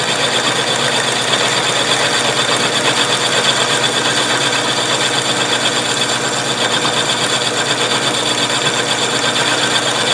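A steady, high, raspy cutting hiss with an uneven chatter; the cut sounds rough, and the feed rate is uncertain. Cause suspected, not confirmed.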